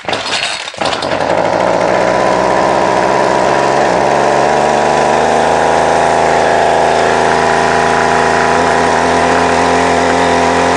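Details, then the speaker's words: Line trimmer (small two-stroke), hard to start and stalls; starts then holds a loud buzzy idle that wavers, idling roughly and prone to cutting out. Owner suspects a split paper gasket sucking in air, shown by spraying starting fluid; unconfirmed. "and running it idles like a pig in fact it loves to cut out and then it's really hard to start afterwards"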